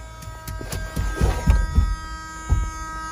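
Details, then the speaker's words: 1979 Honda Prelude barn find, after a new fuse was fitted: a steady electric door warning buzzer sounds under a few dull handling thumps, so the buzzer is working as it should. "oh i have a door buzzer"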